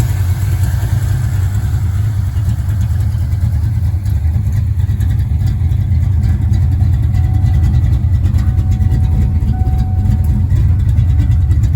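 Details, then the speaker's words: Ford Mustang Fox body 5.0 V8, 5-speed, just after Explorer GT40 intake swap and top-end rebuild: steady, even, smooth low-rumble idle with no stumble or miss, running much better than before; normal idle. "He's running. Very fast throttle response. Running a whole lot better than it did."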